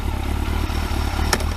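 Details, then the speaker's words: Kawasaki ZX12R motorcycle after clutch install: smooth idle rumble, then one sharp loud clunk as first gear is selected; gear engagement clunk harsher than it should be. "so that sounds lovely and sweet and just listen to this when I put it in gear there even a clunk or anything"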